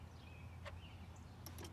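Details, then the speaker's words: Nissan 350Z crank-no-start diagnosis: injector removed and disconnected, energized directly from a jump box gives one sharp crisp click with low hum behind, so the injector works; normal injector click when energized. "one of these is gonna be a positive one of these gonna be a negative but the moment that touch is supposed to fire so or click"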